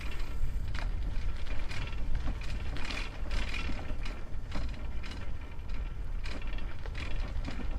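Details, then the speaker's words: Old Sparta Apollo bicycle with Shimano 3-speed hub, after a crash, ridden on a rough mud road: irregular tinny clattering from the loose front mudguard rattling over bumps. "And now you will definitely hear that front mudguard rattling."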